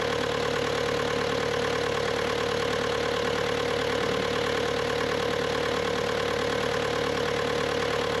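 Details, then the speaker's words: Bobcat T300 diesel skid steer: steady, even idle with a smooth unchanging beat and no knocks or misses; normal diesel idle. "Y'all listen at that puppy run."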